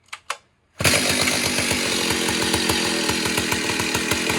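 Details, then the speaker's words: Vintage Stihl 038 Magnum chainsaw (72 cc, 4.8 hp) after carburetor cleaning and tweaking, no bar fitted yet: fires and settles into a steady run with soft, burbly firing beats; mixture still slightly rich, final tune still needed. "it's still a little Rich still got to get a bar on it before you do the final tune for sure guys"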